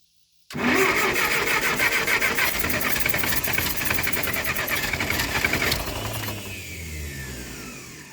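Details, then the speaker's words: Ferguson TO20 tractor sitting three to five years, cranking with choke: fast uneven cranking, sputtering firings catch briefly then fade; ignition timing off, distributor being turned to adjust, points possibly needed. "getting there y'all oo did y'all hear that hot dog we getting somewhere now y'all woo woo let's try that again all right wrap on that carburetor I'm turn this distributor a little bit we going to try it again"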